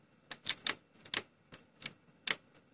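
Sharp, uneven bursts of high-pitched clatter, several a second, with no motor hum underneath; the disc drive is rattling loudly.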